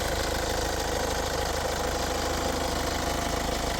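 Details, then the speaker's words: 2016 KIA Sportage 2.0 diesel AWD, 158,000 km, one owner, dealer-serviced: even, steady diesel clatter at idle, no misses, knocks or uneven beats; runs smoothly without anomalies. "працює рівно, без аномалій."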